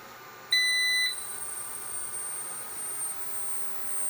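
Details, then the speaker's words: Must PW1800 inverter after repair (failed transistors replaced), load test: short two-tone start beep, then thin, steady, very high whistle that persists under about a kilowatt load; the inverter's chokes are singing, source unexplained. "є запуск і сильний піск Що ж то за піск звідки він береться що ж це за дроселі так співають"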